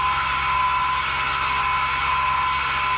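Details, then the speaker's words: 2019 Ram Rebel V6 recorded from inside the cab while driving: steady supercharger-like high whine over road noise, louder when accelerating or downshifting; owner suspects a loose or worn main pulley, tensioner or idler pulley bearing. "my engine actually sounds the best way to describe it would be like a supercharger"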